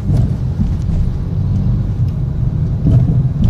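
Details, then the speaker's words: Mitsubishi Mirage G4 with all four shock absorbers and engine/transmission supports already replaced; over potholes the front suspension gives hard, dull clunking knocks instead of a smooth drop; mechanic suspects worn suspension bushings, not confirmed. "May napansin ako dito sa sasakyan pag nalubak yung bagsak niya kalampag ang tunog eh."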